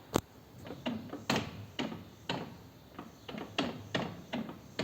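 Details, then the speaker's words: 2008 BMW K1200GT, shaft drive oil changed with no shavings: irregular dull clunks about two a second as rear wheel rocked in gear, free play; owner suspects worn front driveshaft universal joint, noises mainly under hard acceleration in first. "Ese ruido que hace. A ver si es la cruceta de adelante, que está jodida y por eso pega esos crujidos. Sobre todo cuando le metes caña en primera."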